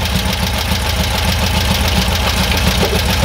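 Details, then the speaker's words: Air-cooled VW bus engine, freshly built, during dual carburetor balancing with an airflow meter reading about five: even, steady putter at idle, about three and a half beats a second, no stumble; settled idle, starting to warm. "pretty cool that's pretty much probably where i' wanted to idle maybe a little bit maybe a little bit faster but so far that seems to be okay"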